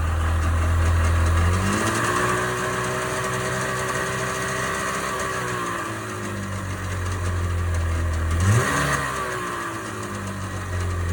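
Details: 1998 Sea-Doo GS 720 two-stroke: buzzy, uneven idle beat rising and falling through two quick revs; abnormal noise, source unknown.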